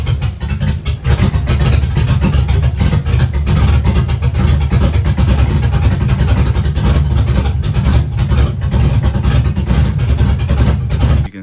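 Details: Abandoned Chevy truck revived, after timing increased across the board and spark advance no longer fluctuating as much: deep, steady V8 idle with even low rumble, no hunting or stumble; idling smoothly.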